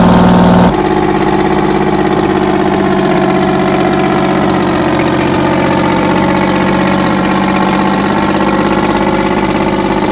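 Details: 60-year-old US-imported Massey Ferguson 98 tractor with factory Detroit Diesel GM 3-71 two-stroke, after significant restoration: after starting, settles into a loud, even two-stroke drone with steady rhythm; normal running.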